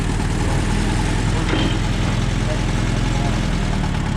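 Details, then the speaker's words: 1958 Allis Chalmers D14 tractor running again: even, steady low engine drone with no knocks or misses, purring smoothly with the PTO spinning. "Just listen to that baby purr. It ain't no stop."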